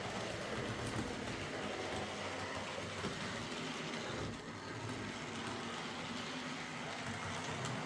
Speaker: Old models like these will never run perfectly, but they're all runners now, which is what Phil asked me to do, so I'll get them packed up and sent back to him.